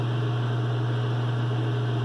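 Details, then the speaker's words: Mr Heater Big Maxx after fixing the three-blink pressure sensor fault, thermostat calling for heat: the exhaust inducer fan gives a steady, even low hum with no wobble, rattle or scrape. It is spinning smoothly and running normally. "Heat on. You can hear the fan going. If we're lucky, this thing will work fine."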